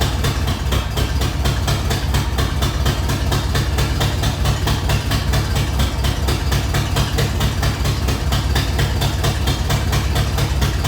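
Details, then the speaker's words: Newly installed Ford 302 V8 in a truck, first start: deep idle with a loping uneven beat and a sharp puffing tick about twice a second; rough idle, owner suspects a loose exhaust manifold leak. "well it started up uh sounds like i got to tighten up one of my exhaust manifolds over there and uh pull it out and kind of go through it make sure everything's all right and i think that part of that admissions uh to maybe kind of making it idle kind of funny there"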